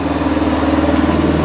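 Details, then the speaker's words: Arctic Cat 400 4x4 after installing a new carburetor and fresh gas: steady, even idle with a smooth unbroken drone, no misses or knocks, perhaps idling a little high; healthy normal idle. "And the idle doesn't actually sound that bad on it. If nothing, it's probably idling a little high, actually, I think. working like a charm."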